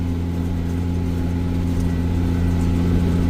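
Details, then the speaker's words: Tractor-pulled baler with extra-wide pickup baling barley for silage: steady low tractor drone with uneven soft pops as straw squishes and compresses in the bale chamber; normal baling. "You can hear that straw squishing in there and compressing. You can hear it kind of popping, so that's good."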